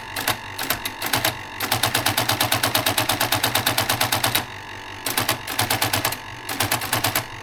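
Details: Olympia electric typewriter with inoperable electric function: fast bursts of sharp clacks, about three a second, stopping and restarting; mechanism cycles on its own, cause unknown.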